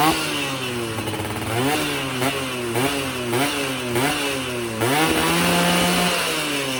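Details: Yamaha F1ZR two-stroke after a major service and porting for daily use; carburettor setting, lean before, now right; standard 14/38 gearing. Blipped repeatedly, picks up cleanly and holds high revs without stumbling. Normal revving.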